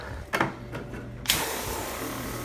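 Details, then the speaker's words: Speedclean CJ-200E portable coil cleaner, tank mode on electric motor power after cleaner refilled (it throttles back when out of cleaner): handling clicks, then the pump kicks on with a steady, even whirring hiss; normal pump operation. "so threw a little cleaner in there so now that it'll sense cleaner it'll allow it to pump"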